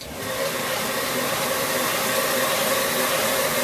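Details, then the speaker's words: New belt grinder with a speed-control box running unloaded at 500 RPM tick over, drawing 2.8 amps; belt speed 785 feet per minute, ramp times set to 2 seconds; steady, even whirring hiss with no rubbing or knocks. "That's the amps it's pulling, 2.8 amps, because it's on tick over and there's no pressure on it."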